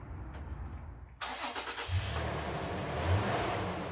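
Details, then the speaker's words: Toyota FJ Cruiser after a new battery reading 12.54 V replaced the old one that cranked slowly: a brief quick crank, then it catches at once and settles to a steady idle. Normal start. "i'm confident that this will start so i'm going to go ahead and start this now and put it under a load see if we can check on that alternator"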